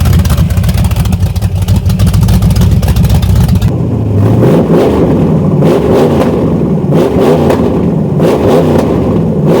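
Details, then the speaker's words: SBC 383 V8 in S10 Blazer with MSD ignition, after replacing two burnt plug wires (including number six) that caused two-cylinder misfire: deep steady rumble, clean rising and falling revs with no stumble; all eight cylinders firing evenly. "yes sir now that's how she the sound so we wasn't even down just one cylinder we had two cylinders misfiring cuz we had two burnt plugs"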